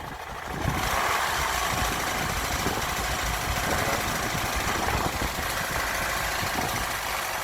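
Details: Land Rover Freelander TD4 with BMW 2.0 diesel, warming idle: uneven knocking at engine speed, noisy for six months; failing crankshaft pulley, replaced.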